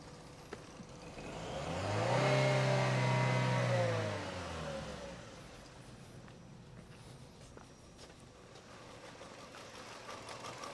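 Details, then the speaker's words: Chevrolet Cruze 1.4 turbo with new turbo, cold start: flares to high rev then settles to low, uneven rough idle; heavy blow-by, owner suspects worn rings or cracked piston, unconfirmed. "look ultimately it is running not running well um looking at that level of blow by I'd say the Rings are stuffed or we got a cracked piston or something like that"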